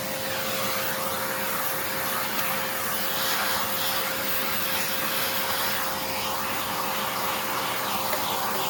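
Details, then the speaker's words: Hoover Encore U4595 vacuum, long stored in a basement, test run during refurbishment: smooth, steady rushing air with a clean, even motor hum and no rattles or grinding; the motor works and sounds really good. "Oh, I think that works. That sounds really good."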